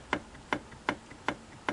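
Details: Singer 457 sewing machine: five sharp, evenly spaced clicks about 2.5 per second in a quiet room as the horizontal arm shaft knocks back and forth with end play; fixed by setting the adjusting collar against the bearing.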